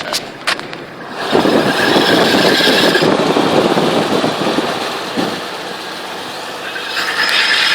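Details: 2000 Jeep XJ with newly installed 4.5 lift kit: harsh, uneven metallic grinding over road noise, starting after about 30 minutes of driving and only in drive while moving; u-joints checked good, SYE not yet installed.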